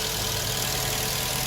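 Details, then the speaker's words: Black Chrysler 200 that would not crank despite a fairly new battery, idling steadily with no misses or knocks; bad positive battery cable connections blamed, dealer parts may be needed. "Let's see if we start. There we go. We're now started and running."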